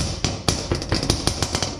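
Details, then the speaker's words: Dodge Dakota R/T project truck, front bumper struck by hand: a sharp hollow bang about four times a second; bump noise first suspected as tie rod end or sway bar end link, traced to a loose clip inside the bumper, silenced when held. "well after hitting it with my fist for the last 10 minutes I found out that it's just a little clip that's on the inside of here we can't see that but it's literally just this"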